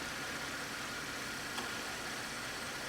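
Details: 2012 Camaro V6 after water pump replacement and coolant air bleeding with a funnel: a quiet, steady idle under a soft hiss, with no knocks or surging; a normal idle.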